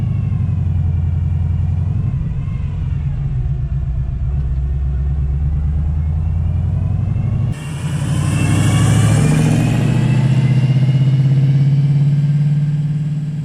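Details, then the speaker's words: 1979 Camaro Z28, over-400 small-block Chevrolet V8 with Pete Jackson gear drive, Borg Warner T-10 4-speed, hood open; deep lumpy idle with steady straight-cut timing gear whine above the rumble; noisy gear drive to be replaced. "this is standard small block Chevrolet it's uh it's over 400 F big Ines but you sure can hear that Gear Drive"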